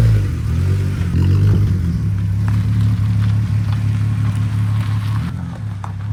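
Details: Smooth, deep six-cylinder drone at a steady low pitch with no ticks or knocks from the VR6 in a swapped 1984 Volkswagen Rabbit GTI after a fuel system rework; no fuel leaks, runs evenly and healthy.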